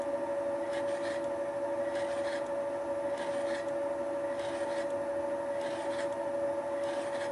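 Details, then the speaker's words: Final facing pass with a Wohlhaupter UPA5 head on a Thiel Duplex 158 mill, cleaning the lawn mower housing top around a molten plastic bearing seat: steady spindle hum with a light scrape or click about once a second from the radial feed mechanism; clean, even cut. "this is the final pass (the clicking noise is caused by the radial feeding mechanism) it cleaned up the face quite nicely"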